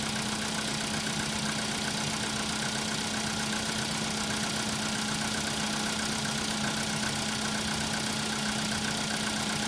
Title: Стук на холодную , cfna ...